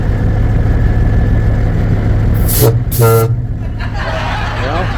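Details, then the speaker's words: Peterbilt 359 with Grover air horns under repair: over a steady truck idle, two short choked toots instead of a full blast; the right horn kind of works, the left still does not. "We got one one kind of working. We have a right one working and left one. It's not happy yet. Anyways, uh trying to fix these air horns up there on Poki."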